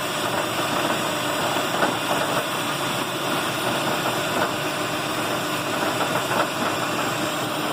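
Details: 2008 Lexus RX 400h, warm, in P after stopping (also happens at lights in D): a busy metallic rattle rides steadily over the idle; began after a spark plug change, with similar rattles on cold starts; cause unknown.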